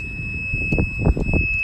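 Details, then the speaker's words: Rental golf cart driven slowly into a golf-course geofence sounds one continuous high warning beep over low rumbling and clunks; the beep continues until the cart is reversed out of the geofenced area. "alright some members will hear the beeping sound and what that told us is that we have gotten in the geofence so the only way out is to back up put your card in reverse"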